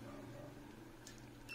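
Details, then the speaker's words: Kevler amplifier with distorted sound: multimeter in continuity mode across a jumper bridging a broken, rusted trace, quiet room hum then a short high steady beep; the jumper conducts. "yan mga Master makikita niyo yan yan makikita niyo may tunog na na binibigay o sound ibig sabihin nakatawid na no"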